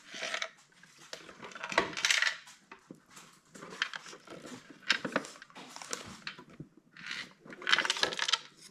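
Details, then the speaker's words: Mr. Christmas Carousel, at least 20 years old, plays music and lights but doesn't spin while the small motor runs. Light metallic jingling when shaken. Loose internal part rattle, possibly a detached gear. "you can hear that there's something loose in there."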